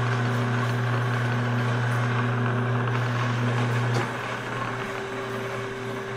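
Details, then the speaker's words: Homemade hobbing spindle, big bevel gears under power: a low gear hum, and the whine smooths after the spacing is increased 10 thou to 2.422, so the spindle carrier needs mounting up 10 thou; normal gear mesh. "it's making just a little bit of a rattle sound and I'm not going to try to measure the Lash it's uh it's pretty small"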